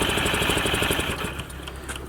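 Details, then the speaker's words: Metropolitan, first start attempt after a faulty carb, bad gas, stuck throttle cables and bad fluids: rapid cranking with brief uneven firing that never catches; flooded carburetor, cranks but won't start. "there we go it's not running yet oh it's trying now"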